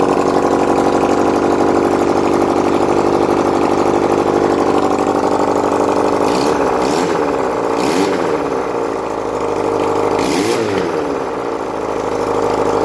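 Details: 1971 Honda CD175 K3 twin under restoration, running on a little fuel put in the carburetor, oil reaching the head: even, steady idle, then three quick throttle blips rising and falling cleanly with no misses; normal idle and revving.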